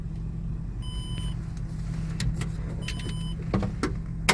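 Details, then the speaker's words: Hover H5 petrol (Mitsubishi engine), 109,000 km, knocked 4,000 km after a timing belt kit job; the fault was a weak hydraulic timing belt tensioner. Now a low, steady, near-silent idle with no knock, only light clicks. Engine runs smoothly. "Как видите друзья всё ровненько работает двигателя вообще почти не слышно"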